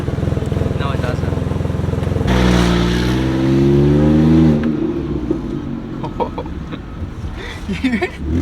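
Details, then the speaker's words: BMW 128i with stock exhaust: sharp regular puffing at idle and a raspy blare when revved; exhaust leak, location not yet found. "not supposed to sound like that that's stock exhaust too"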